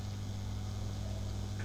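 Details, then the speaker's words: Grundig Trento radiogram, warmed up and back in its cabinet, microphone near the speaker after a hum repair (replaced capacitors); only a faint steady low hum remains, inaudible from half a metre, normal mains hum. "back to a normal amount. And I'm probably half a meter away and I can't hear it. So, that's a good result."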